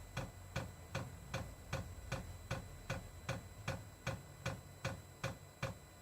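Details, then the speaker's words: Diesel parking heater (all-in-one type) newly installed in a shuttle bus RV conversion, first test fire: crisp even ticks about 2.5 per second over a faint hum as the dosing pump fills the fuel line before ignition; normal priming. "It has to pump that fuel line full. As soon as it gets fuel, the igniter will go off and it'll start up."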